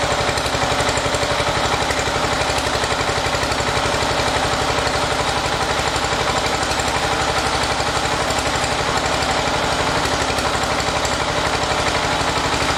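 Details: 1980 John Deere 212 garden tractor single-cylinder engine, first run after crank seal replacement and oil change (oil at full mark): crisp, even put-put at about four beats a second with no misses or knocks; running smoothly.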